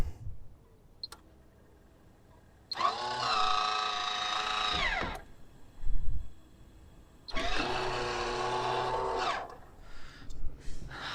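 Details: MaxxAir roof vent fan lid motor after replacing the failed lowering mechanism (previously loose metal, loud clicking, jamming): two smooth two-second whirs with steady whine, runs normally, though lid may not open fully.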